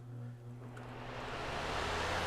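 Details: Lasko PN020350 floor fan after repair and maintenance for being noisy and hardly spinning, blades refitted with roll pin: steady low hum and smooth rush of air building to speed through high, low and medium, no rattle or drag; running normally.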